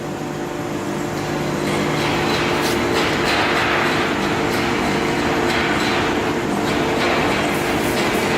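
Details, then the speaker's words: 1V340 lathe after swapping NC31 control for West Labs WL4T with KEMTOK drives: steady low electrical hum with a few even tones, no surging or clicking; axis servo motor holding position fully. "есть мотор полностью удерживается."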